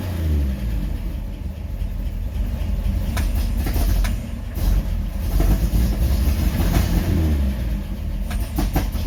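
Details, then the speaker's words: 1953 Chevy 3800 truck after full rebuild, new coil and points fitted, plugs cleaned, some choke backed off: low, lumpy rumble with a wavering beat. Owner suspects the ignition timing is off. Uneven running. "i think my timing might be off i might try to adjust that again"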